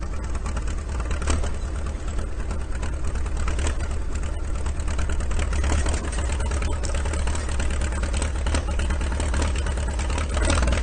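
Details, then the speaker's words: IH TD-6 dozer with its injection pump swapped for the Oregon pump, in snowy cold weather. Deep, loud diesel idle holding a steady low rumble without misses or knocks, slightly lazy from idling too long. Sounds much better after the pump change; normal idle. "The Oregon injection pump on Kommunist Kat sounds a lot better now. It kind of sounds like this right now because he was letting it idle too long, but now we'll head on over to the shop and get the hitch off."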